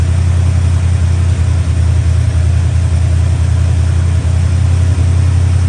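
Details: Chevy Square body barn-find truck, 305 (5.0) V8 with automatic, after timing, distributor, carburetor, tune-up and ignition work: strong, even low rumble settling into a smooth idle, no stumbling or misses; running much better than before.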